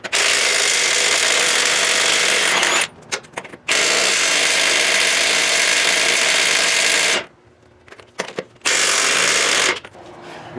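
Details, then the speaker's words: Milwaukee half-inch cordless impact on 2009 Ford F-750 lug nuts, battery down to two bars: long hammering bursts with pauses, nut not breaking loose; impact struggling from low battery. "so you saw the half inch milwaukee was struggling i'm down to two bars on that battery so let's go back to them two lug nuts that wouldn't do it"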